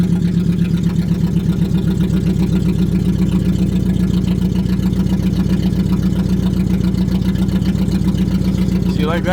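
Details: Budget Mercedes-Benz four-cylinder, refuelled to over half a tank, grounds checked: uneven, lumpy idle stumbling near four beats a second, not firing on all four; cause unknown, a new wire to ECU plug one is suggested.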